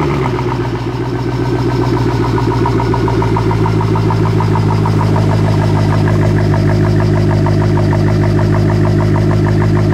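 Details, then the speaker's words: Mercedes C63 AMG Edition 507, M156 V8, stock with Eisenmann race exhaust, first cold start after new cams, tappets and hardened cam phasers: light quick tappet ticking over idle, about four per second, from new lifters with friction modifier, expected to fade after oil change. "listen to that unique sound and we're going to let it warm up as we have friction modifier in there so the brand new taets always are a little loud and then once we get the new oil in there that noise is going to dissipate"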